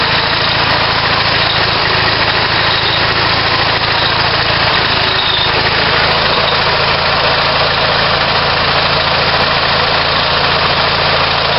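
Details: On-farm natural gas compressor, a German-built 4-cylinder unit adapted for natural gas. A small twin drives it with steady, even chugging and no knocks or misses: normal running.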